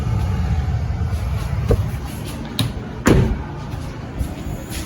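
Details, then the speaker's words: 2007 Audi A4 during A/C troubleshooting, key switched off: steady low blower whir continues with a couple of dull clunks; blower fan stays on when off, control module suspected. "the fan stopped nope the fan did not stop the fan is still on even though that thing is off that doesn't seem right look at that it's off but you can hear the fan is still on ah it's messed up"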